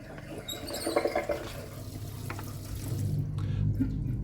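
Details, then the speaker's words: Beko DIN26410 integrated dishwasher, water supply off, program started to drain standing water: sloshing and gurgling then steady low pump hum; drain pump normal. "So we're just pumping out water now that's sitting in the bottom of the dishwasher."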